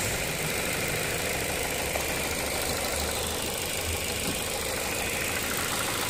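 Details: 2008 Ford Fusion bought cheap at auction with a transmission hiccup: even, steady idle with a smooth hum and no knocks, misses or speed hunting; engine sounds healthy.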